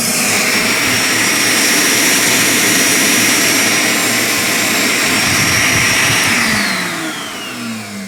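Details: Shop vac plugged into a 1000 W inverter installed in the factory location of a 2014 Ram 3500: loud steady rushing whine with a high constant tone, running evenly, then spinning down smoothly; vacuum motor runs normally on inverter power.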